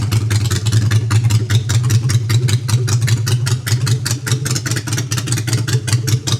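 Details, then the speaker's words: Customized Honda Shadow V-twin with new custom exhaust pipes, on choke in neutral: steady even low thumping idle with regular exhaust pulses and no knocks or misses; idling cleanly. "Let's hear the bike for the choke out on neutral."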